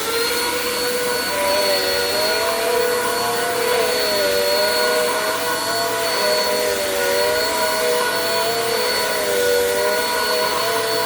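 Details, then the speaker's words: Bissell PowerForce Compact 2112 vacuum, 5.5 months old, running after repair: a strong, steady motor whine with a slight gentle waver and no grinding or rattle, sounding like new. "holy moly I don't think I've heard a vacuum sound that good in a while this thing literally took itself for a ride"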